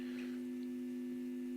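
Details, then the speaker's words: Telefunken Jubilate tube radio, first power-up through a lamp limiter at 214 V drawing 130 mA, tone and volume on max: steady low hum at fixed pitch with only faint reception; dried-out filter capacitors letting mains hum through. "of harm obviously so the filter capacitors need changing here we go again"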